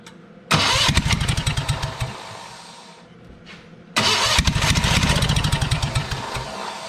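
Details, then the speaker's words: Old Spider forklift after carburettor cleaning and choke repair: engine catches, runs rough and smoky, sags almost to stalling, then recovers. It only stays running with the key held, pointing to an intermittent ignition switch. "there's definitely something going on here it only stays running if my keys on"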